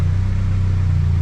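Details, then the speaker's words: Toyota MR-S big-turbo 1.8 20V swap, Ignitron ECU, first full warm-up run, out of gear, alternator now charging after big power wire connected: deep steady idle rumble, even beat, no ticking or knocking; normal idle. "the car's running via Ivan just letting it get at the temperature um I've got coolant in it and all that there's no leaks no nothing engine seems fine good oil pressure all good"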